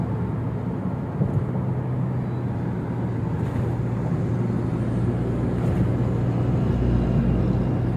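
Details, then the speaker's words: Toyota Innova Reborn on a toll road at 100 km/h after removing the roof rain gutter (talang air): steady low road and engine drone with no hiss or whistle; a quiet cabin, so the owner suspects the gutter causes the wind noise. "Oke teman-teman, setelah kita tadi mencoba trial untuk talang airnya kita lepas, ternyata setelah saya tes di jalan tol untuk kecepatan 100 pun itu suara angin yang biasa kita dengar itu tadi nggak ada ya."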